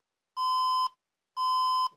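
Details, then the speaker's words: HP Compaq dc7800 ultra slim PC on a 90 W HP adapter: two long, even beeps of the four-beep, four-red-flash code for an insufficient power adapter; a 200 W adapter lets it boot. "So, it doesn't work. It beeps four times and flashes four"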